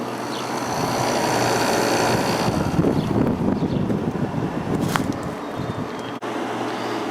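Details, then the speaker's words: Kenmore (Whirlpool) vintage 5,000 BTU window air conditioner with a Matsushita rotary compressor, warm day outdoors, already cold after a short run: even, quiet hum and airflow rush with no rattles or knocks. Normal running. "kind of sounds like a Matsushita compressor so I'm guessing that's what it is this thing has not been running that long and it's already cold so it's pretty impressive it's pretty warm out here right now it's very quiet"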